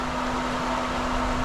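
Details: Pool pump running steadily after priming with water borrowed from the spa (no check valve fitted); even hum and smooth motor drone with no surging or gurgling, pump has caught prime and runs normally.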